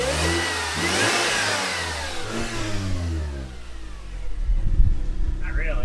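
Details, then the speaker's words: Manual supercharged Mercedes C230K, 183,000 miles, on first startup with a new exhaust header: revs rise and fall smoothly with a clean, even note and no rattles or leaks, then a steady idle. "remember things are sounding really good so far"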